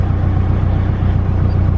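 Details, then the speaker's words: 1995 Nissan Hardbody with battery and relay box relocated to the bed, grounds checked good: steady low rhythmic cranking with no catch; turns over but won't start, owner suspects starter or alternator. "today I am running into the issue of the truck not starting I relocating the battery the grounds are good everything's good and get krang's but doesn't want to turn on as good"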